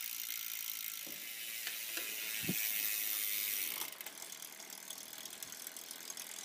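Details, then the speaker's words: Campagnolo 11-speed road bike, pedalled in the worst rear gear with the front derailleur not touching. The rear drivetrain buzzes with a hissy, uneven ticking and rasp, about four clicks a second, and hard vibration is felt through the pedal. "and here we are just buzzing like mad back here the budging that you're hearing is coming from the back"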